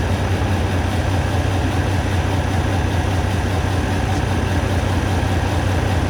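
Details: Kenworth W900 with Detroit diesel at idle, cylinders cut out in turn: steady lope with a repeating uneven thump two or three times a second; cylinder six completely dead, later found to have valves adjusted far too tight.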